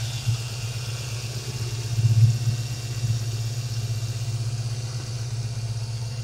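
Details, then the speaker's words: 1995 Mustang GTS V8 idling after the erratic idle was fixed by replacing the idle air control valve: steady, even low burble with no surging or hunting. "The car runs great. I changed the idle air control. It's very steady."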